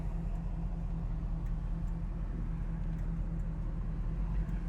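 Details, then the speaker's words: 1968 Pontiac Firebird V8, warm at 180–190° running temperature, odometer about 81,403 (title mileage exempt): even, steady low burble at idle with no misses or knocks, not stalling; healthy idle. "here we are at idle again turn signal functioning cars not stalling out"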